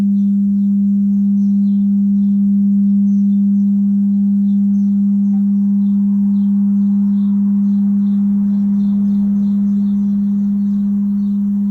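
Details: A.O. Smith gas water heater made in 2015: a loud, steady low hum and vibration starting shortly after the burner turns on, fading and then returning.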